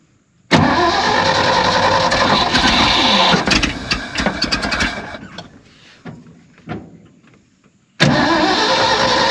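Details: Abandoned 1970 Ford F600 U-Haul truck that sat about 30 years, getting gas with butterfly held down: starter grinds hard a few seconds, sputters and fades, cranks again, won't fire; cranks, no start. Starter solenoid then found smoking.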